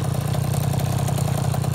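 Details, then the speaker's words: 2004 KTM 50cc Mini Adventure two-stroke after piston ring replacement, new gaskets, carburetor clean, with upgraded polished exhaust: quick, even burble with a steady low pulse and no misses or knocks; normal idle. "all right another good one sounds good my needle upgraded exhaust on there"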